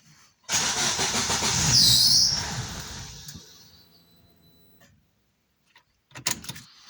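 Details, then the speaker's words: Daewoo Lanos that runs on LPG but stalls on petrol, tried with a sensor unplugged and throttle body newly replaced. Engine cranks, catches briefly, then runs down and dies within seconds; cause unclear. "Пробуємо без того датчика. Все одно глохне і всьо. І що таке?"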